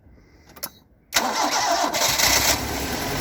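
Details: Stock unmodified bigport blue-top 4AGE in a Toyota AE86, about 195,000 km on the swapped dashboard clock, regularly maintained: catches and settles into an unsteady rough idle with irregular tapping knock underneath; owner cannot locate the cause.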